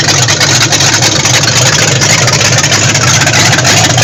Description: The freshly-rebuilt 440 engine in my 1974 Dodge Monaco running for the first time after the rebuild.